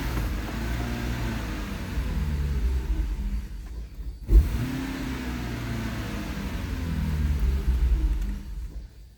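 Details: Lexus SC430 stalling with no check engine light: low engine rumble sags and cuts out near four seconds, then catches and runs again; the cause is an injector driver fault.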